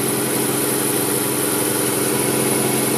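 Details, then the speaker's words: 2004 Ford Fiesta idling smoothly after water pump replacement (it came in with a squeal and accessory-belt noise traced to the pump); steady, even mid-pitched hum, no knocks or squeals; radiator left open to bleed air before warm-up. "Entonces ahora sí vamos a echarlo a jalar y ahí ya lo tenemos funcionando Ahí está funcionando está girando"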